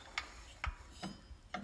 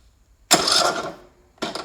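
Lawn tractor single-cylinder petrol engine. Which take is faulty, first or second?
second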